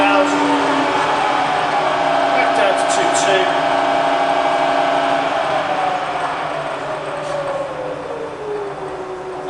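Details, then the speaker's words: Bridgeport vari-speed milling machine spindle around 900–1000 RPM: smooth even whine, no knocks or grinding, pitch sliding down as brake (for drawbar removal) is applied; running perfectly. "Okay, so that's around 900 now. 900 to 1000 RPM. So you can hear it's running absolutely perfectly."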